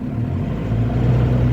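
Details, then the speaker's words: Car test drive in first gear: engine drones high and steady while the car barely gains speed and won't pull; engine rpm far exceeds road speed, a slipping clutch. "आप एहसास कर रहे होगे engine का RPM बहुत ज्यादा है और जो गाड़ी का स्पीड है वो बहुत कम है।"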